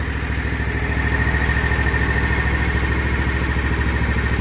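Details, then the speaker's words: Kawasaki FX691V twin on a 2021 Scag Patriot with 80.6 hours, after valve adjustment: cylinder 1 intake was loose at .010 and was set to 0.004–0.006 in cold, with a new valve cover gasket. Smooth, even idle, top-end tick gone. "put a new gasket on and again top it off with oil and fire it up so here we go listen to this baby purr now"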